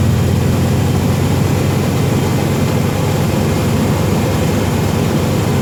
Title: Exhaust leak resolved. Hear the improvement. 1990 Chevrolet K1500 5.7L 350 V8 Truck